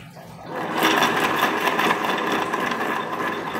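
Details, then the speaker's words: Honda Beat FI scooter with rough-sounding CVT, engine running and rear wheel spinning; rough gritty whirring rises as the wheel spins up and stays coarse; shaft shows heavy play; worn CVT pulley shaft bearing. "jangan-jangan suaranya ditimbulkan dari as puli CVT ini tetapi laharnya ya"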